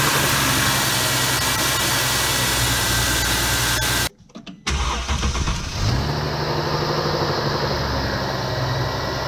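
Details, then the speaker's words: 2009 Mercedes-Benz C350 W204, M272 engine, cold start after sitting overnight: brief metallic rattle for about five seconds after catching, then fades; owner suspects worn or oil-starved timing chain tensioner, plans to replace it. "when you first start in the morning you hear the rattling sound for about maybe five seconds and it'll go away so I did some research and people saying that did it's the timing chain tensioner not getting enough oil or whatever worn out"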